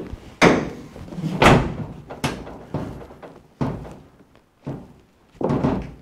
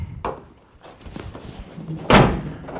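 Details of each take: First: 2005 Chevrolet Silverado tailgate rocked by hand after new bumpers were fitted and a bent tab was straightened: hollow metal thunks with slight remaining play, one side tight and the other still a little loose. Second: 2005 Chevrolet Silverado tailgate after new bumpers are fitted and the bracket is bent toward the truck: it shuts with one solid, dull, softer thunk and no loose rattle afterward, curing the sloppy tailgate rattle.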